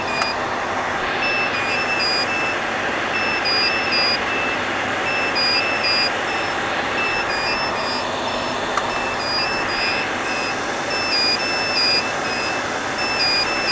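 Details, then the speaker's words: HP EVA6000 disk storage rack at power-on: steady high beeps about every two seconds in several pitches over constant fan hiss. The disk shelves are signalling faults such as power or fibre channel loss, with beep pitch matching unit number. "they beep and the beeping sound the pitch of the beep is corresponds to the unit number so the lowest unit number here has the lowest sound"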